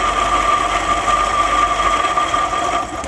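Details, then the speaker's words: MGB GT twin carbs being tuned after setting the timing: lifting the carb piston makes the idle falter and sag toward a stall, with no pickup. The mixture is weak on both carbs, so each is to be richened a quarter turn. "uh so mixture is a bit weak on both so we're going to turn them both a quarter turn and open them"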